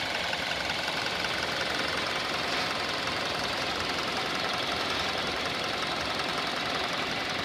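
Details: 2019 Hyundai Elantra inline four-cylinder, 7,000 miles, just started and idling: fast dry diesel-like ticking clatter over steady hiss, expected to quiet down somewhat; engine ticking at idle, cause unknown.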